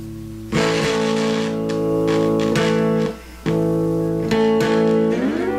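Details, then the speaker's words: Guitar with P-Street pickups: strummed chords drop almost to silence for about a third of a second, then return; intermittent signal cutout, owner suspects the interlinked tone pot wiring. "so the pickups are cutting out and it has to do this tone knob down here"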